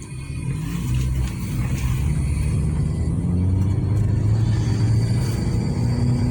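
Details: Nissan Juke after repair of a cylinder 2 misfire: low, even rumble with no skips or stumbles; engine now runs smoothly with no misfire.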